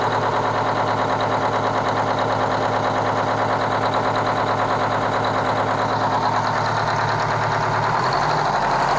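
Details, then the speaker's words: Kenworth cabover diesel truck with a fuel problem: loping, uneven idle at roughly three pulses a second; one cylinder isn't firing cleanly, and the owner judges the third cylinder back on one side needs an injector, with an air leak also to find. "all right so i'm gonna say third cylinder back on this side is uh needs an injector so we're just going to get the tools and change it"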